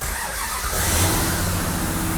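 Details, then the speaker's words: Plymouth Superbird with a swapped-in Hellcat engine, first start in neutral with no throttle: a short crank, then it catches cleanly and settles into a deep, steady rumble; a healthy first start. "it's one of those things that you don't know till you know boy that thing sounds good it does sound good huh"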